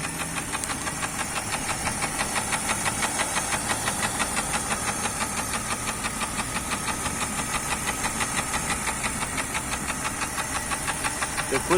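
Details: Jeep Grand Cherokee Laredo 4.0 (AMC 242 six), fully warmed up, at idle: a steady light metallic knock about three per second, blamed on cracked piston skirts. Knock began with winter cold, and cold starts need over 5 seconds of cranking. Piston slap.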